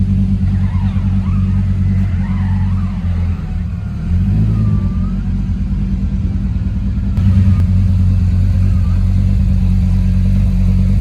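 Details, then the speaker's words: 1.8T-swapped Toyota MR2 on a base map, driving at light throttle: steady even engine drone pulling cleanly, no knocks or misses; normal running. "As you can see, it drives. Sounds good too. This is just a base map, but it runs lovely."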